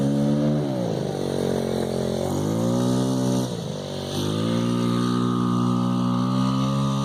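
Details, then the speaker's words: $20 50cc scooter after upgraded variator rollers (lower effective gearing for off-road) and new clutch springs, full throttle: shrill scream climbs and dips with throttle, then holds high and steady; revs freely as expected. "Time for the 7-toe Joe Grand Prix with upgraded variator rollers, and hear that thing scream."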